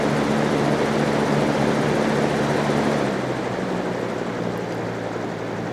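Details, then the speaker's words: Trash-day fan after repairing a dog-chewed cord, run once it dried out from being sprayed with water: steady, even whir over a low hum, no rattle, scrape or wobble; the motor runs smoothly and the fan works fine. "and you thought I was crazy for spraying it with water medium low high fan works just fine"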